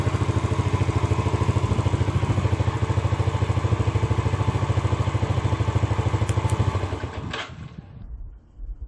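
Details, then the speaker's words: Motorcycle with a newly installed remote alarm and starter module: an even putter of about three beats a second, then the engine dies within a second as the alarm module cuts the ignition current. Normal idle, then a clean ignition cut. "[موٹرسائیکل کا انجن مر گیا] [اسپیڈومیٹر پر N روشنی کے اشارے پر] [بھی بند ہوجاتا ہے] [لہذا] [انجن کا اگنیشن کرنٹ بند کر دیا جاتا ہے الارم ماڈیول]"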